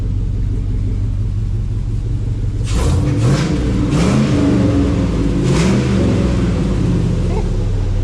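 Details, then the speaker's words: Willys Wagon overlander build, run to check the exhaust, torque converter bolts still to be fixed: deep steady idle rumble, then quick throttle blips rising and falling cleanly; normal idle and revving, engine and exhaust sound healthy. "that's not too bad really I dig it"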